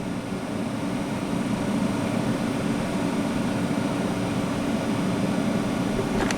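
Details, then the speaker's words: 3rd-gen Chevrolet Camaro heater/A/C blower, one of four speeds dead, on second speed during resistor voltage checks (10.2 V in, 6.85 V resistor output, 12.1 V battery): steady even air rush with low hum, no rattle or squeal; runs normally. "and the blower is on the second speed rather than the bottom"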